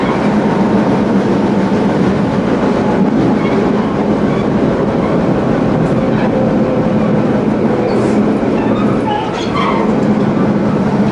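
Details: Tobu 20000 series car MoHa 24803, AFE main-circuit chopper control, recorded inside the car from Kasukabe to Kita-Kasukabe on a canted curve. Steady roar with a rhythmic wheel-flat thump that fades and returns as left-right load shifts.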